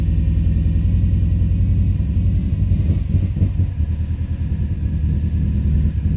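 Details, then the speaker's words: 2005 Subaru Forester XT after an idle adjustment; codes read a blow-by function problem and a P21xx code, owner concerned about blow-by, earlier a coil miss and suspected rich running. Low, lumpy idle with uneven beat and dips; rough idle, cause unconfirmed. "see she just runs like [ __ ] now that blow eyes got me concerned"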